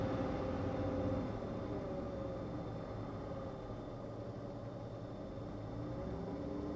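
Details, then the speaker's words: Car at Copart, engine revved slightly, AC switched on and off with fan down; light quick tick about four per second over steady idle, unchanged with AC, so accessory doubted; bet on lifter tap: engine ticking. "uh it's still there and it sounds the same I was thinking maybe it was an accessory issue it could be I don't think so though it sounds exactly the same with the AC on and off so I'm gonna I'm gonna bet there's a lifter tap here"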